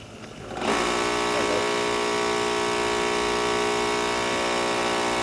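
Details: Ryobi RY142711VNM electric pressure washer, formerly tripping the breaker, after a new CBB60 120 µF capacitor: motor spins up in under a second and holds a steady hum on a 50 ft 16-gauge extension cord; a failure to restart is blamed on the cord; repair called a success.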